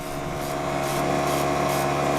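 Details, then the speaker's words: Small allotment water pump trying to draw water; rough gritty buzzing with soft surging, not pulling water because it sucked air through failed seals at the suction joints. "Just trying to draw some water through. It's a noisy little thing there."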